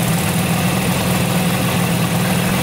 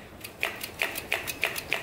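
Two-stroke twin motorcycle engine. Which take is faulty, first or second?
first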